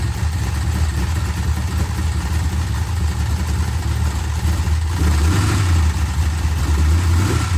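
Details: 1968 Dodge Charger, used big-block 440, restarted after lifter work: deep steady V8 idle with a faint fast chatter on top. Lifters still sound noisy, possibly louder on 10 and 12; a smaller cam and intake were fitted, actual cam unknown.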